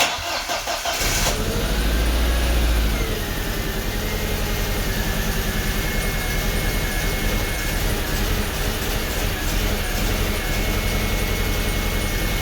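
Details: 2003 Audi A4 1.8T (B6) after fuel injector replacement: engine cranks, catches and settles into a lumpy, uneven idle; the newly installed cylinder 1 injector doesn't work, causing a misfire.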